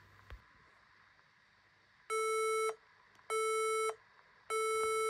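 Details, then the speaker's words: HP laptop at power-on gives long even high beeps, a cycle of five repeating about every 1.2 seconds with blinking keyboard light; memory (RAM) failure code. "this is a sign of ram failure yes guys you've got memory failure if it's a cycle of five times just like this video"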